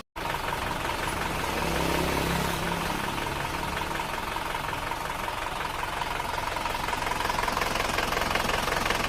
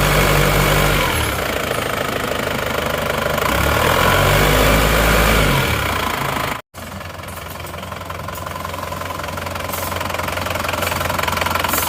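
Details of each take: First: Isuzu Panther diesel running rough at cold idle with thin smoke: a light, regular ticking clatter, about 160 a minute. The mechanic attributes the tek-tek sound to worn pistons slapping against the cylinder walls, and the owner wants it removed. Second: Diesel Panther whose owner says it runs rougher than before; the starter-area noise is already fixed, injectors 2 and 3 leak and await repair. Idling at operating temperature: an even, steady clatter with a regular beat, no heavy knock, and minimal smoke.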